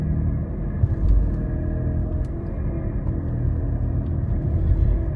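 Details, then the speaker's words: Failed wheel bearing on a roughly 2022 Mitsubishi while driving: a loud, deep growl that goes away and comes back as the steering is turned slightly side to side. "got a wheel bearing here haven't heard one this loud with uh this much change when you turn in a long time"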